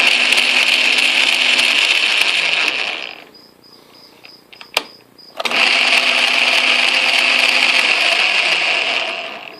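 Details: Atlas/Craftsman QC42 lathe gearbox test run in forward after gear play adjustment, during work to eliminate gear-train noise: steady high gear whine, stops about two seconds, restarts; even tone, no knocking or grinding.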